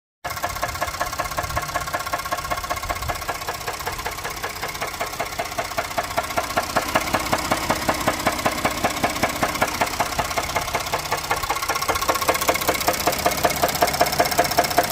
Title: Rod knock or broken flex plate? 1 of 2